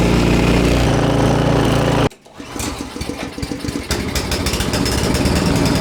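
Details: Husqvarna ST224 two-stage snowblower that previously would not start, pull-started after cleaning with choke on, quarter throttle, fuel valve on and no primer bulb; runs steady and strong, then settles into an even, regular beat.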